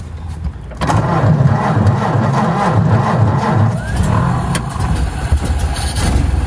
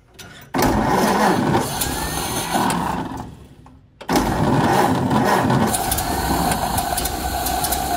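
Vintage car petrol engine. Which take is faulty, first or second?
second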